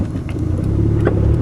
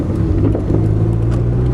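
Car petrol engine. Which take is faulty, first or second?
second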